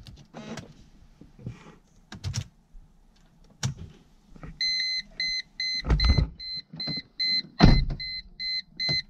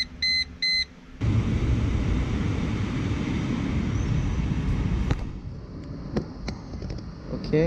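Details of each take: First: 2002 Mercedes-Benz C240 (W203) at startup, in the cabin: irregular dull knocking from behind the dash as an HVAC stepper motor struggles to adjust the flaps, with a warning chime; usually stops after 15-30 seconds; the motor gets replaced. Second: 2002 Mercedes-Benz C240 (W203), engine running after start-up: a couple of chimes, then a smooth steady run with no knocking from the HVAC flap stepper motor behind the dash after the replacement motor with too much play was swapped back for the original; normal actuator operation.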